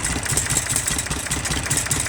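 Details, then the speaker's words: IH 484 tractor diesel, smoky and misfiring, injector lines cracked one at a time: uneven idle with a beat dropping out; cracking number 1 changes it least, so number 1 cylinder is the fault. "Number 3 definitely makes it miss. Number 1 again. Definitely makes a change, but not as much as the other 2. So we got something wrong with the number 1 cylinder."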